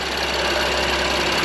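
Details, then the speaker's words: BMW M2 Competition idling after its first start: a steady idle with only the light, fast tick of the high-pressure fuel pump. The earlier tick is gone and the engine is quieting down; sounds healthy. "she's running she's getting quiet too I don't know if you guys can hear it but that tick is gone just high pressure pump tick now"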